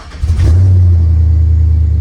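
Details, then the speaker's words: Chevrolet with Escalade fuel pump fitted, first run after a no-start that acted like VATS security mode (fired a split second and died): catches and settles into a loud, deep, steady, even idle with no misses or knocks; no catalytic converter; normal start and idle. "and there it goes she's pretty loud I mean no catalytic regulator yeah that's kind of screwed up anyway"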